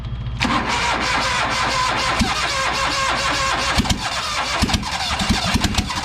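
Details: New Holland LS140 skid steer cold-started after sitting over two months: it catches and runs loud and rough with a raspy open-exhaust bark and uneven pops after a hard crank. Hard cold start.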